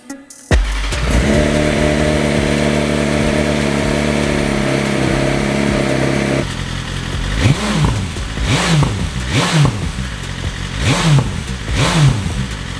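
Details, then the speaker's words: Crashed BMW S1000RR inline-four after soldering a bypass wire for a broken immobilizer pin, battery fully charged: it catches at once, settles to an even idle, then sharp clean blips under music; successful start after the no-start fix. "Success! It's been a while since I heard that inline four scream."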